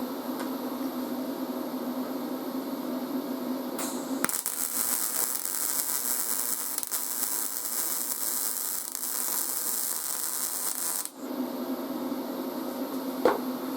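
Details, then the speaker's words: YesWelder 250 MIG Pro, first weld on steel: a steady, even crackle like frying bacon holds for about seven seconds with no popping or sputter; a well-set MIG arc that looked and sounded good. "that was the first weld ever guys there it is that looks pretty good and it sounded pretty good too"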